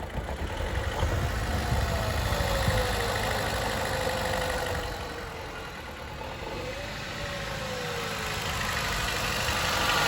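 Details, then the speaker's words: 2012 Chevy Cruze 1.4 with no compression on cylinder 4, idling with no throttle, engine light flashing: uneven stumbling idle with a lumpy beat about four times a second, barely revs; misfire from dead cylinder. "i don't think she sounds too hot yeah she's uh she's definitely not happy i'm i'm not touching the gas i'm not doing anything"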